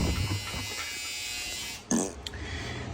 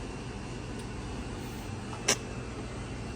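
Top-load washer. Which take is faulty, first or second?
first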